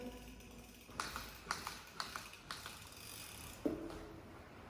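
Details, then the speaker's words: Rockshox ZEB Ultimate 29-inch 170 mm fork on a Commencal Meta AM 2021, after only two rides with all bolts tight and the brakes ruled out. Several short, dry, very loud creaks sound, one each time the fork compresses, consistently, in a garage. "and then you can hear a creek very loud creek i heard that on frogs forks before and that's why i'm on rockshox to avoid creeks but thing seems to happen here"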